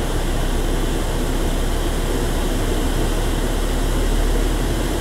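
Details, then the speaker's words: Renault Arkana, cold engine with heated windscreen switched on: the computer automatically raises idle to load the engine and warm up faster; steady, even hum with no knocks or misses; raised idle under electrical load. "я ничего не сделаю специально поднимает обороты компьютер смотрите как пошла греть"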